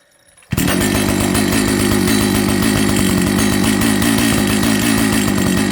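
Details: Old Jonsered 930 project chainsaw after a restart: steady high-revving two-stroke buzz with even firing and no stumbling, so it runs. The bearing underneath is dry, and the air filter cover mount is stripped.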